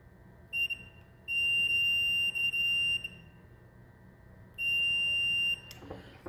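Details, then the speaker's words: 4-wire Honeywell zone valve tested with a multimeter across the two red end-switch wires: a clear high-pitched continuity tone, held about a second at a time. The closed end switch conducts, so it works. "So when you close the end switch, you get a sound. That means the end switch works."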